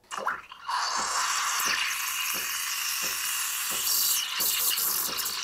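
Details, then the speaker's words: Espresso machine steam wand (CRM3605) in a pitcher of milk, tip just submerged, wand at about 11 o'clock: chirping at first, then chirps nearly stop as milk rises; normal aeration moving to rolling. "치직치직 하죠 이제제 치식 소리가 거의 안납니다 높이가 높아졌기 때문이죠"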